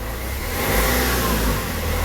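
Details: Renault Trafic/Vivaro/Primastar F9Q 1.9 dCi running in sixth gear with right driveshaft removed and gearbox hole plugged: smooth, even drone rising and easing, no whine, grind or clunk; gearbox healthy, noise traced to driveshaft.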